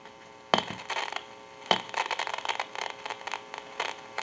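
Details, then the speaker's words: Northern Electric Galion rotary telephone handset on dial tone: irregular crackling, popping, staticky hissing that worsens over time, from a worn carbon granule transmitter that needs replacing. "can hear that crackling static and it can get worse the longer it goes along should be able to pick that up in the video it's kind of a staticky hissing crackling"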